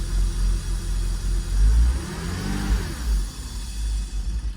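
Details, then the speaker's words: Porsche Boxster, dies when revved with either MAP sensor fitted: idle swells with throttle, then revs sag and falter. Owner suspects the air-oil separator (AOS). Unconfirmed. "so I'm wondering if it's an air oil separators and it goes back to normal RPMs but when I give it a REV"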